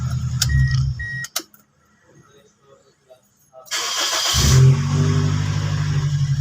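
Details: Toyota Altis after replacing the fuel pump to cure hard starting: a couple of short beeps, a quick crank, then the engine fires promptly and settles into an even, steady idle.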